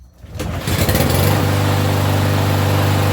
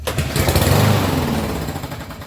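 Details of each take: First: Troy-Bilt TB230 lawnmower with Briggs engine that started then died, after carburetor servicing and reassembly: starts cleanly and holds a steady, even drone for about ten seconds without surging or dying, running normally. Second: Troy-Bilt TB230 mower with Briggs engine, no primer, in regular use, starts then runs rough with a slight tick, beat sags and dies within seconds; stall attributed to a dirty, clogged carburetor, to be cleaned.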